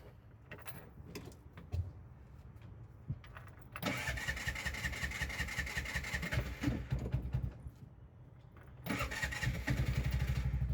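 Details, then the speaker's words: Vehicle with a starting problem described as common, after the fix: a few quiet cranking attempts, then it catches and settles into a quick, even putter; a normal start. "ನೋಡಿ ಇವಾಗ start ಆಯ್ತು ಗಾಡಿ"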